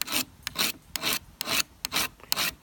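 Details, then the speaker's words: Carbide cross-V sharpener on a metal spatula of soft stainless steel: harsh rasping strokes about twice a second with juddery scraping; the soft steel bites, causing bad chatter, unlike a hard knife. "the spatula is actually a soft stainless so it really wants to bite and that's probably what's causing the chatter is really bad not hard like a knife at all"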